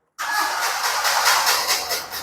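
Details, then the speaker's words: Proton Wira 4G15 that cuts out when warm, cranked after long test running left the spark plugs wet. Steady starter churning for a couple of seconds that never catches or fires. "Sorry, sekarang spark plug basah. Jadi terpaksa kita ada lambat sedikit. Sebab spark plug tadi kita running terlalu lama, jadi spark plug dia ada mati."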